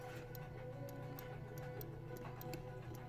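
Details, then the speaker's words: Williams Terminator 2 pinball: the ball-detection microswitch was readjusted after staying constantly closed, then activation simulated. Crisp, light irregular clicks over a hum show the switch clears and activates on each ball pass: normal microswitch click. "on sent que la switch est bien dégagée et activée à chaque passage de la bille."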